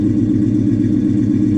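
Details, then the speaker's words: Salvage V8, described as a Hemi, idling with check engine, TPMS, brake, ABS and ESP/BAS lights on: a deep, even exhaust burble with a steady firing rhythm and no misses or ticks; normal idle. "listen this uh let's this beautiful exhaust these hemis sound there's just a unique sound to him"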